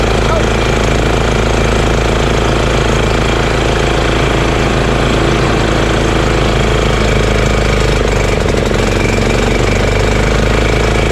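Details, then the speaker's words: EZGO Workhorse golf cart with Honda GX340 single-cylinder: idle turned down low, even putter with no knocks or misses, though still engaging the belt. Normal idle. "i'm gonna see how low i can get the item and that's pretty low idle you know that's pretty good idle idler very good actually but it's still engaging the belt"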